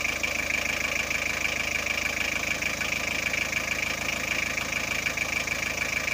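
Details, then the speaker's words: Car with battery warning light and dimming lights, after repair; engine idling, charging at 13.5V, battery indicator should go off; steady even idle with light regular patter, no knocks, misses or squeals; normal idle. "Charge naman siya 13.5, at kailangan mawala yung battery indicator niya dito."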